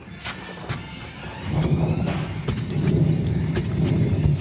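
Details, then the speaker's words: 1964 Chevelle Malibu, about 20,000 miles in last year and a half, after hitting a manhole: lifted wheel turned shows wobble, low rough rumble with uneven thumps from a bad wheel bearing. "oh that bearing's bad listen listen to this down here"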